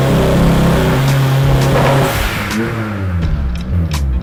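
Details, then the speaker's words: Turbo S2000 pulling under load on a dyno, exhaust restrictor removed, air-fuel ratio correct: the note breaks up and stutters under boost, with music behind; misfire from too wide a plug gap. "the air fuel looks right it's just misfiring there's a subtle little trick you can do every guy should know"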